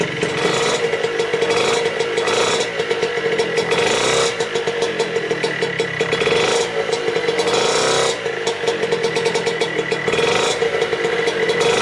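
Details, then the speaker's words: Piaggio Ciao 65cc two-stroke moped, first start after a year with engine and exhaust reinstalled: small two-stroke buzzing at a steady idle with a slight regular lope, no misses or sputter; no fuel or exhaust leaks seen; running normally. "so so so finally after a very long time the ciao is running again the engine is in there from what i can see there is no really big leaks no fuel leaks and no exhaust leaks"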